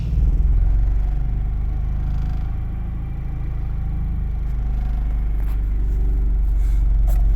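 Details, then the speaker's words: Honda Prelude that now starts after repairs: deep, steady rumble with no misfire stumbles or knocks; it runs and drives, but it shakes when put in gear. "yeah she runs she drives I gotta figure this out when you put her in gear it like shakes"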